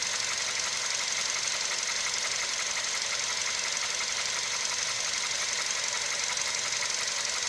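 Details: CFNA engine at operating temperature: sharp, regular knock about twice a second over a hot idle; something inside the engine knocking, cause unknown.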